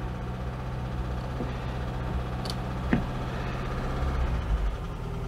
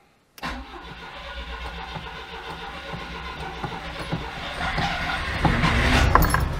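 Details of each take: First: 1992 Oltcit petrol engine after carburettor work: steady low even idle, no knocks or misses, left ticking over while the car is washed; healthy tick-over. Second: 1992 Oltcit petrol engine, sat seven years without fresh fuel, jump pack: cranks, catches, builds revs a few seconds then stumbles and dies; not getting fresh fuel, owner suspects the fuel pump.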